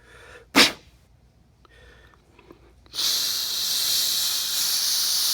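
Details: Bathroom under-sink shut-off valve dripping, before repair: steady high-pitched hiss of water escaping past the leaking valve, holding evenly, until it is closed.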